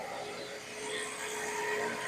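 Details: 2008 BMW 1 Series E87, 143,000 on the clock, just started after replacing the low-pressure fuel sensor: quiet, even petrol idle with a faint steady hum, no misses or ticking; no leaks and no engine errors afterwards.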